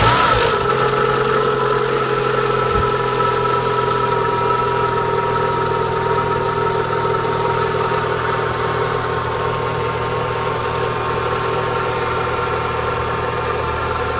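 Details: Renault Clio 182 cold start: petrol engine idling with a steady, slightly sagging whine over the even engine beat; owner says it is a worn water pump. Whine at cold idle, suspected worn water pump.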